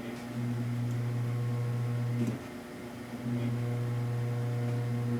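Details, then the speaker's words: Electric faux fireplace: steady low mains-pitch buzz that goes quiet when the log set is pressed down, then returns. Motor vibration passes through the fasteners into the metal with nothing to dampen it, and the metal amplifies it. "it sounds like the vibration's being transmitted because there's nothing in between to dampen the vibration from the motor."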